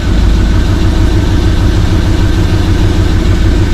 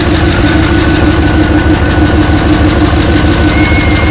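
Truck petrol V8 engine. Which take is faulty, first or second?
second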